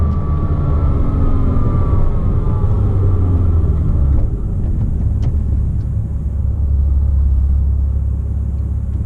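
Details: 2007 Porsche Cayman S, 45,000 miles. Faint high whine over the engine drone, tied to rpm, most noticeable around 3000 rpm and gone with the clutch disengaged. Worn water pump bearing; replacing the pump cured it.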